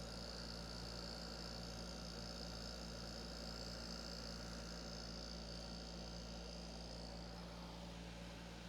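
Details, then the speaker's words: 1983 Gibson Slumbermaster 5900 BTU window air conditioner on a 90-degree day: steady low hum with a firm buzzing shake throughout; rotary compressor vibration shaking the wall, typical of rotary compressors, though the unit cools well. "thing is like it's a it's definitely a wall shaker if you can hear that that's the disadvantage of rotary compressors they the biggest problem with many of them is that they shake the walls"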